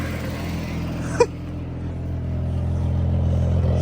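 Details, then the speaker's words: Toyota MK3 Supra, first start with gas tank in and fuel line hooked up, muffler cut off: deep, even open-pipe rumble with one brief sharp blip, then a smooth, slightly rising drone; the engine runs healthy without a muffler. "yeah she uh sounds good they cut the muffler off but so hopefully I can find some sort of exhaust system put on this"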